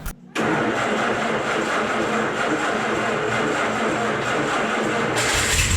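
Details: Vermeer 630A stump grinder engine after rebuild, with a new choke cable and fuel now reaching the carburetor: brief crank, catches at once and settles into a steady, even idle with no stumbling; it starts and runs properly.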